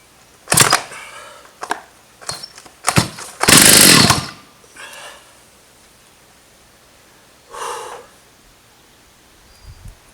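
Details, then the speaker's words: Stihl 084 AV chainsaw, about 35 years old, found dumped and freshly fuelled; sharp pull-starts end in one loud harsh backfire that kicks back hard through the cord; it has compression but runs poorly, so a carburetor tune-up is planned. "Backfires, it just about rips your hand off. She's got some compression. I think we better get the screwdriver and give her a tune-up. She doesn't sound too great at all."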